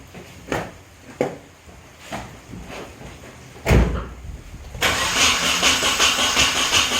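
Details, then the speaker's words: Nissan 240SX on its first start attempt after the build, with ignition timing advanced slightly and the battery running down. Uneven cranking with a few firing puffs and a rough churn that never settles: nearly catches but won't start. "with the timing advanced a little bit it sounded like it wanted it just a little more but it still didn't catch"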